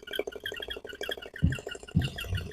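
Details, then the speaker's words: RO water purifier booster pump, head found loose with play and a screw not tight, bench-tested powered with mic held close: sharp chirpy mouse-like squeaks several per second over faint motor hum; owner suspects the loose head or the winding, not yet confirmed. "ये जो आवाज़ आ रही है ना, अंदर से जो आवाज़ है, तो आवाज़ नहीं आनी चाहिए। सबसे पहले तो ये जो आवाज़ चूहे जैसे, चूहे का आवाज़ होता है ना, उस टाइप का आवाज़ आ रहा है।"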